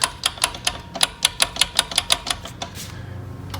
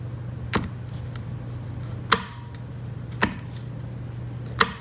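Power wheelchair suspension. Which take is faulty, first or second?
first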